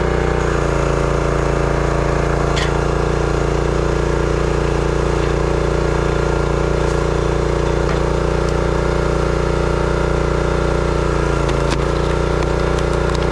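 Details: Brute 30-ton log splitter, Briggs & Stratton engine (9.5 ft-lb gross torque, roughly 5-6 hp), after no-start repair: steady, even thump under splitting load, no misses or surging; runs healthy, though seemed underpowered.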